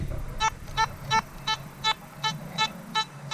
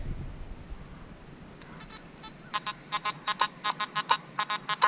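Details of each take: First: Metal detector test comparing Nokta/Makro Simplex+ and XP Orx on factory settings: clean, steady repeatable beep about three times a second on each sweep over a buried silver Morgan dollar, reading a solid 93 to 95 VDI. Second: Nokta/Makro Simplex+ metal detector, factory settings, silver Mercury dime buried 8–9 inches with nails: short, uneven squeaky beeps where the dime tone barely shows through the iron chatter; faint target masked by iron.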